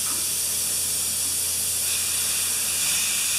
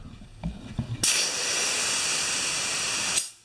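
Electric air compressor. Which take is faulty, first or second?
first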